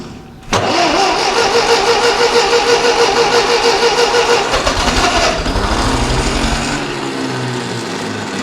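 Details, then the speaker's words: Ferguson TEA20 barn-find tractor after major engine work, with a new distributor condenser, temporary wiring and fuel can, ignition on with a little choke: steady rapid starter cranking about three pulses a second, never catching yet. "Ignition on. I've got me posh little key as well, and oh, she wants to go. Bit of choke."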